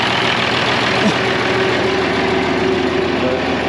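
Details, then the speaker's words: 1966 IH 1206 Wheatland diesel tractor after head gasket repair and rebuilt head, idling on the dyno while warming up, waiting for water temp to rise: steady, even idle with no misses or knocks; sounds good, healthy. "it sounds good kind of waiting for the that water temp starting to come up"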